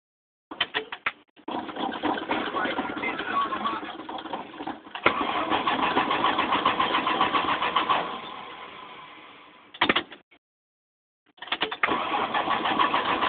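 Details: Slant 6 engine that won't start: the starter cranks in repeated bursts with even compression beats, roughly three or four a second, but the engine never fires.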